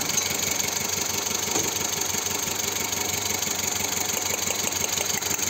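Idle wavers with an uneven stumble roughly three times a second over the engine hum, pointing to a cylinder not firing consistently. Cause suspected, not confirmed.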